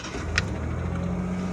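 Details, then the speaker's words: 1989 Ford Ranger GT, 2.9 L V6, after an extensive tune-up, rarely driven: even, smooth low idle with a steady drone and one brief light rattle early on; runs much smoother than before, normal idle. "But actually, guys, it's running after the tune-up. It's running a lot smoother and a lot better than it has."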